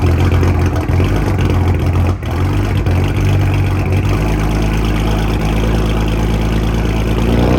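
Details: Freshly built BMW 335i N54 twin-turbo six (MMP 53/53 turbos) on first-startup break-in, oscillating 2,000–2,500 RPM for about 15 minutes to seat piston rings; smooth loud steady drone, slight rise and fall, no knocks or rattles; normal.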